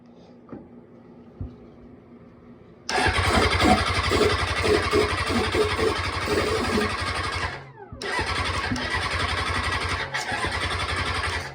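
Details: Engine cranks in two long bursts at steady pace but never fires, even with starter fluid; injectors ruled out, cam pulse sensor and stator already replaced; crank no start.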